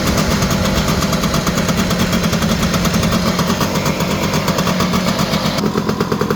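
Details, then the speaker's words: Honda EZ90 Cub single-cylinder, first run after turning the fuel petcock to run, WD-40 burning off the exhaust: a quick, even putter at a slightly high idle, steady firing with no misses or knocks. Normal idle. "Running strong, sounds great."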